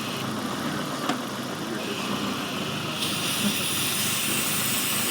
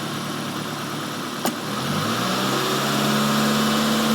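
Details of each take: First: let's leave it you can definitely hear that leaf very loud but how many guys have not heard it like that but the car is idling funny right it won't hold an idle this is a vacuum link Second: Warm four-cylinder petrol engine at normal idle before a vacuum leak demonstration: a brief click, then a smooth, even idle with a steady low hum, all four cylinders working.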